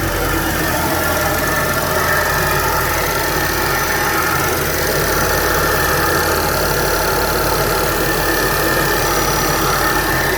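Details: 2012 Buick Regal GS petrol engine idling with a fairly steady light clicking, about three to four a second, over the engine hum; cause unknown.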